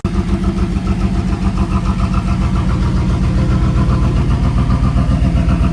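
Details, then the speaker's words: 1995 Pontiac Firebird Formula with a Corvette LT1 swap, first run after sitting abandoned for 7 years: loud, lumpy V8 idle with uneven low puffing about four times a second. Big exhaust leak suspected, unconfirmed. "well she's running got an exhaust leak"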